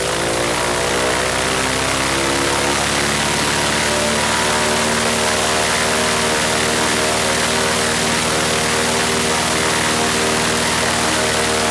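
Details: Franklin 165 aircraft engine test run after repairs for a blown cylinder: loud, steady running at constant speed with even firing and prop roar, no misses or stumbles; runs healthy.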